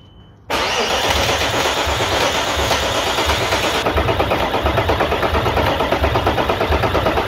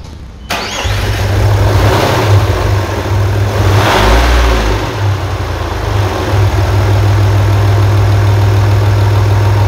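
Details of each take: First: 1998 Audi A4 2.5 TDI (AFB) diesel after timing belt and water pump change: steady starter churn with even compression pulses about three a second, never catching; no start due to an injection pump fault (advance wire burned). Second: 1998 Audi A4 2.5 TDI (AFB engine) after a timing belt and water pump replacement, done because of a coolant leak from a holed water pipe: a quick crank fires straight away, brief rev, then an even, steady diesel idle with no knocks; it starts normally.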